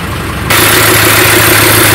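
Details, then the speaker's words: Paris red English taxi (London cab), diesel idling before first road test: loud steady hissing scrape as both mounting lugs of the brake vacuum pump are broken, letting the pump shift so the belt rubs another pulley. "le bruit bizarre qu'on entend à mon avis et c'est assez logique il vient de la petite pompe de dépression dépression pour les freins et les deux pattes sont complètement cassées ce qui fait que la pompe se promène complètement et la courroie touche une autre courbe"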